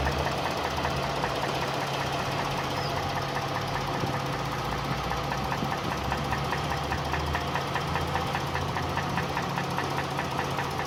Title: V6 engine knocking sound(3)